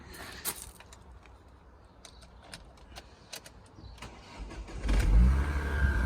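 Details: Donor car from a Focus twin-turbo V8 project build, with a flat battery, started on a boost pack: near-silence, then a quick start about five seconds in to a low, smooth, very quiet idle with no knocks or ticks; normal start and idle.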